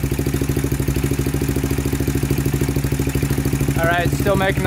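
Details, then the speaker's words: 2000 Honda 400EX single-cylinder with cheap eBay piston and cylinder, idling after valve adjustment (0.004 in intake, 0.005 in exhaust), steady light tick about two and a half per second; loose cam chain rattle. "noise so we're gonna adjust the timing chain next"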